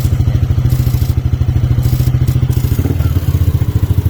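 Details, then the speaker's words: Yamaha NMAX version 2 scooter brought in for a noisy engine, after tensioner work: quiet, even single-cylinder idle with no chain slap or rattle, slightly louder only with the throttle open; no engine teardown needed. "Soin niyo tahimik na ulit yung makina niya. So medyo maingay lang gawa ng naka-open 'tong throttle."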